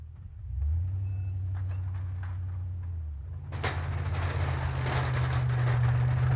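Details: 2002 Chevrolet Silverado 2500HD after new front driveshaft U-joints, pushed hard; deep steady drone swelling under load, no squeak or chirp from the driveshaft; earlier squeak-squeak gone, driveline healthy.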